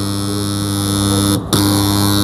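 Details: Direct on-line (DOL) motor starter contactor: steady low mains hum while held in, one brief dropout then pulls back in cleanly, no chatter or buzzing; contactor holding properly.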